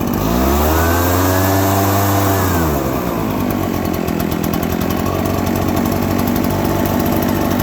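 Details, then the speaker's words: Two-stroke engine starting easily and idling, then given throttle: revs flare and sag into an uneven blubbery burble before evening out. Running rich and loading up with excess fuel, which burns off. "Now we can hear that it's running a little bit rich. Okay, so now it's starting to even out and it sounds pretty decent."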